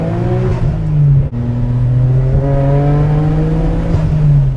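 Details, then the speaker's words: Nissan R33 GT-R RB26DETT with Tomei titanium exhaust at wide open throttle: engine pulls hard, then stumbles and breaks up as boost comes in; misfire under boost since purchase, multiple causes, later upgraded to HKS ignition coils. "Every time I would go wide open throttle and come on to boost, it would misfire, which is incredibly annoying."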